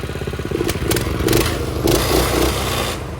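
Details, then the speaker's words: Predator 212 engine on a minibike, just fitted with the throttle cable to the governor arm; started on choke after refuelling. Small single-cylinder putters fast, picks up smoothly on throttle blips and settles back; running good, normal. "Rev it a little bit. As you can see, she is running good."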